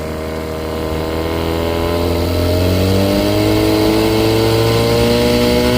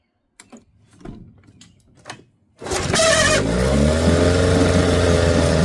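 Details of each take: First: 1975 Johnson 6hp outboard, idles great after fuel-line work (had been starving for gas and shutting down); on throttle revs climb a little then hang flat, lacking its usual power; loss of power on acceleration, compression test planned. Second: 1975 Johnson 6hp outboard that starved for fuel and died at wider throttle, fuel line refitted; after a few handling clunks it catches and settles straight into a steady, even idle with no stumbling; normal idle.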